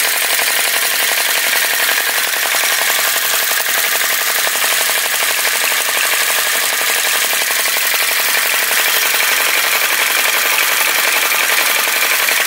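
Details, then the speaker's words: Retro VE-01 crossbeam flame licker vacuum engine after pulling the wick out for a bigger flame: quick, steady puffing and clicking at an even pace with no stumbles or misses. Running normally, sounds better straight away. "see if it'll stop blowing itself out slide it again that sounds better straight away"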